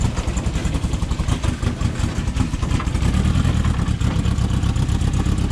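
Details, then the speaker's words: Air-cooled VW flat-four dune buggy on a trail trip after engine damage from low oil: lumpy, uneven low thrumming with stumbling beat at idle; missing on one cylinder, running on three. "what was that? She's on 3 cylinders."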